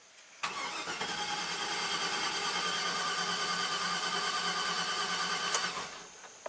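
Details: 2009 Chevy Silverado 3500HD at 421,000 miles that stalled and won't restart, cranked while watching the cam and crank counters; both spin. Fast, even cranking with almost no compression pulses and no catch, crank-no-start; a jumped timing chain is suspected.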